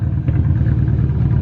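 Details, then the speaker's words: Nissan Cefiro A31 RB20DET, low compression after maybe 6-7 or more years without running properly, after about 10 minutes running and warming up: uneven lumpy low beat with occasional bangs, sounding better as it warms. "She is sounding much better, and I think it's because she's warming up as well. But like, it has been maybe 6-7 years before that engine ran properly, probably longer. I don't like the bangs though, I don't like the bangs."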